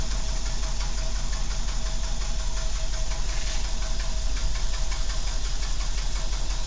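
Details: Renault 12 estate engine at steady idle: light, somewhat uneven ticking over the engine's low drone; something is noisy but the cause is unclear; unidentified engine noise.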